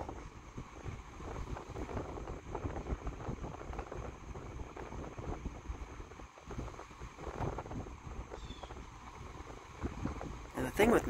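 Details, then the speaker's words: GE Vortalex 10-inch oscillating desk fan FM10V41, about 1949-1950, metal trailing-tip blades, on high speed: soft, even rush of air with no rattle, blade tick or hum; blade design quiet and efficient, normal running. "metal bladed fans in my experience at least the cheaper ones the blades make a lot more noise when moving the air but this one the vortalex at least the vortal X blade design is super quiet moving the air very very efficient it doesn't sound like a jet engine"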